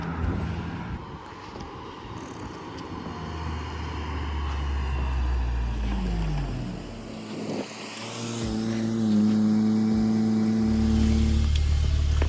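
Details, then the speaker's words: 2017 VW Golf R after replacing the upstream O2 sensor that caused power loss and limp mode, driving: clean, even pull as revs climb under load, no stumble or hesitation, music over it; normal acceleration, problem fixed. "Cars drives amazing, guys. Guys, we got this problem fixed."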